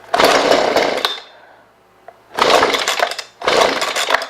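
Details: Husqvarna 125B leaf blower in for a no-start: three rasping pull-cord bursts with nothing firing, on full choke after 10 primer presses; spark plug later found soaking wet and compression feels good; cause not confirmed.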